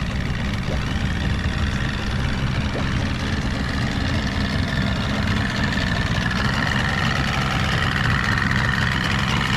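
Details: Stock 49 cubic inch outboard on a restored 13 ft Delta T850 race boat at its first water test: even, steady idle burble at constant pitch, no knocks or stumbles; idling healthily.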